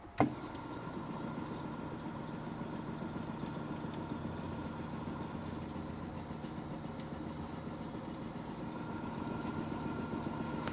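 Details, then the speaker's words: Sony TC-350 three-head reel-to-reel deck, heads cleaned and demagnetized, no tape loaded: a click, then a steady, even motor hum with a faint whirr that never wavers; motor spins smoothly, normal. "let's turn it on see how she goes motor clicks on like forwards it's gonna stop because there's no ribbon"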